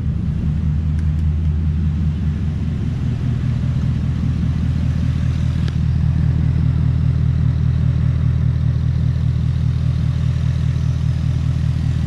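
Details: Coyote V8 swapped into a 1997–2003 Ford F-150, first run after fixing a no-start, coolant around 200°F, cooling fans not yet coming on: deep, steady rumble with an even beat and no knocks. Normal idle.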